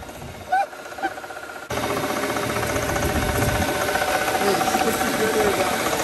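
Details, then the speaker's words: Mercedes W220 S600 V12 bought for cheap, idling: uneven, lumpy idle with shaky pulses about three a second; owner guesses four of 12 cylinders not firing; also won't rev over 3000 rpm. "that's not a good sign I would say that four of 12 cylinders"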